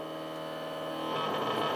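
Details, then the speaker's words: Stepper motor running with no load, step time reduced to around 6 ms per step: steady humming tones break up as the motor loses step, vibrates in place and even reverses direction; stepper motor resonance, erratic motion. "il sait plus du tout ce qu'il veut faire 6 5,95 et là il va partir dans le bon sens a donc il ya un moment quand on lui donne l'ordre des pas qui va pouvoir se met à vibrer sur lui même et quand il est avide il peut même retourner en arrière"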